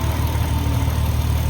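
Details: VW Mk5 R32 VR6 after thermostat housing and crack pipe replacement, first start while burping coolant: steady, even low drone with no knocks, misses or ticks; coolant circulating, no leaks so far, idling smoothly.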